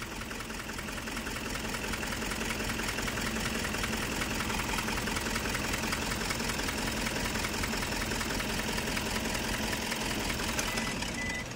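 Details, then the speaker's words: Toyota Hiace 2KD diesel with loss of power, hard long cranking and shaking engine, dies when throttle released; injection pump reportedly just serviced: lumpy, surging, limping idle close to stalling. "Karang kalau lepas gas mati dia langsung itu mati tu mati tuh mati tuh hah bentar lagi mau mati itu guys"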